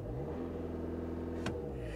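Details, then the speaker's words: Diesel car at a salvage auction, held up on revs: smooth even turbo spool and steady drone with no knocks or rattles; engine and turbo sound healthy. "listen to this diesel spool up it's got a rev limiter on it but it's got power for days man"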